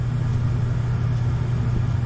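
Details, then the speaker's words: Furnace blower motor, after a new control board was fitted, needed a hand spin to start and turns lazily under speed with a steady low hum; capacitor or worn motor suspected. "I had to give it a spin, which kind of indicates that the either the starter capacitor isn't giving me enough juice, or the motor's just worn out."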